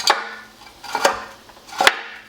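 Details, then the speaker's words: Removed catalytic converter from a 2001 Honda S2000, being replaced by a test pipe: three sharp loose clunks as it is shaken; internal substrate broken loose, likely source of the loud rattle heard at startup. "it's obviously broken loose from the inside there so i've been hearing a it's a loud rattling you may have heard it earlier when i started the car up and it's most likely this uh this internals to the cat here"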